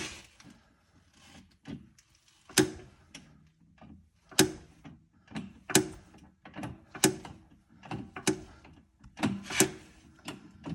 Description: I had this mystery sound that I originally heard only after driving, but then became more persistent. I took off the wheel and using a jack to raise/lower the axle slightly I could reproduce it. I ended up lubricating the coil over and the sound went away.